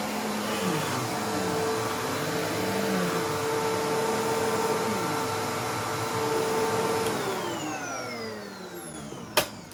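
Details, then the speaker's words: Simplicity Symmetry vacuum: steady motor drone with a faint rough chatter about four beats a second from a worn brush roll clutch; a felt gasket helped slightly, but the clutch pad and clutch still need replacing. "Well, I don't know how well y'all can hear that, but unfortunately, or fortunately, depending on how you look at it, that felt gasket did help a little bit, but we're still going to have to go through it and replace those two components, the clutch pad and the clutch itself."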